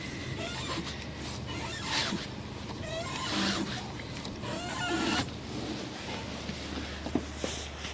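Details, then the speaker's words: 2014 Renault Logan with the engine idling: short creaking squeaks and a rough grind when turning the steering wheel left, caused by a ball joint that has run out of grease; the joint is otherwise sound and needs lubricating, not replacing. "данный звук издает шаровая опора то здесь проблема та же самая закончилась маска шаровые опоры"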